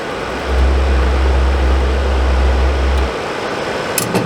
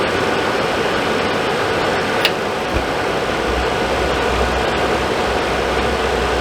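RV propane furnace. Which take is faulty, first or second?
first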